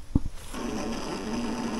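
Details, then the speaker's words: Dead battery in a three-wheeler, before hooking up a jump starter: a click, then a brief low, sluggish starter groan that never catches, sounding weak; the battery is too flat to turn the engine over. "sounds like a weak fart I got nothing"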